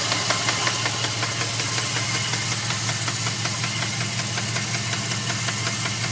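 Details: 2002 Dodge Ram 4.7 V8 idling with a loud, regular metallic knock, about two to three raps a second; three mechanics say it needs a new engine, owner asks whether something else could cause it.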